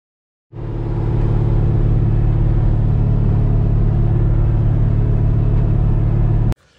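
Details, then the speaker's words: LS-swapped S10 with 416 engine and freshly installed AFR heads, idling on first start after intake work: deep V8 idle with an uneven, lumpy beat and a steady stumble, because one cylinder is dead; its coil wire was likely pulled off by the steering. "So we're definitely on 7 because it's missing a coil. The coil wire right there. It must have got caught on the steering and pulled it off."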